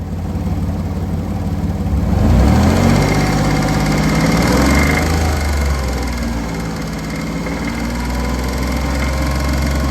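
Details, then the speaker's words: 2001 Porsche Boxster S, noise began while driving home: a steady rapid knock, about three to four beats a second, over the idle and through a blip. Owner suspects rod knock, but other causes are possible. "So naturally I'm in panic mode because that sounds like rod knock to me. And a lot of other people are concurring that it sounds like rod knock."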